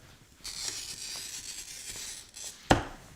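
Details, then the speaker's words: Glass cutter scoring glass to test the wheel; steady, fine, even hiss with no skipping or crunching, a good cutter scoring cleanly. "No, this is a good cutter. So if you can hear that, and then look at the edge, and this was smooth now."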